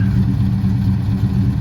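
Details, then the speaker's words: 1971 Dodge Demon 340 V8 after valvetrain repair, driving under light throttle: deep even rumble with no ticking. Earlier ticks gone after holding 2,200 rpm for 10 seconds, all eight cylinders sound healthy. "Sounding pretty good. No more ticky noises. Seems happy."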